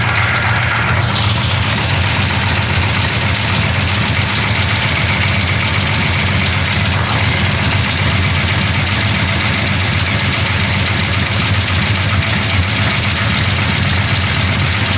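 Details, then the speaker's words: Big-block Chevy 427 V8 just after a valve adjustment: runs a lot better than before, but a busy, rapid chatter over the low exhaust rumble comes and goes. Engine knock at idle, cause unconfirmed. "it's a lot better than it was yeah a lot better you hear that chatter coming back it comes and goes"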